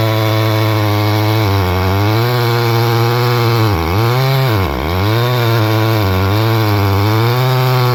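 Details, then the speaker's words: Repaired Stihl 011AV chainsaw, cold, in a test cut: high buzz sags sharply twice before recovering, bogging under load; owner plans to richen high-speed carb screw since it's so cold, cause not confirmed. "I was making that cut right there, and you can kind of hear it struggling a little bit, so I'm gonna give it a little bit more fuel on the high side since it's so cold."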